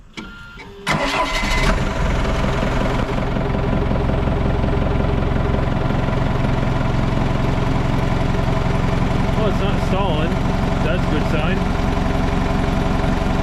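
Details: Old Hitachi excavator diesel, abandoned possibly over 10 years, started after hydraulic flow diverter work: starter catches, fires and settles into an even, steady idle with no stumbling or dying; running normally.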